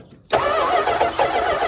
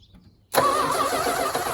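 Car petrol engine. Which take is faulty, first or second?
first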